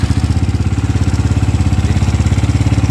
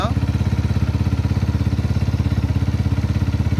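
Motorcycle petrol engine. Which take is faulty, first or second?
first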